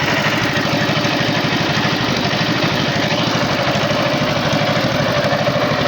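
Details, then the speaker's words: Tow-behind flail mower's Wisconsin TJD 20 hp inline two-cylinder engine, battery iffy, test-cut grass fine: steady, even putter with crisp regular beat, no misses or knocks, holding speed; running healthy. "right here this is a flail mower powered by a wisconsin tjd 20 horsepower inline two cylinder engine"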